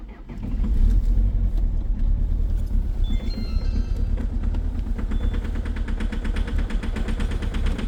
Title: EXTREME COLD START at -16°C with a very strong knocking sound part 1 #rybin